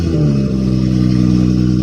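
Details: BMW F30 340i (gen1 B58) on first start after a front mount intake and upgraded turbo inlet install: the engine catches with a brief flare, then settles into a smooth, even idle with a steady low hum and no odd noises.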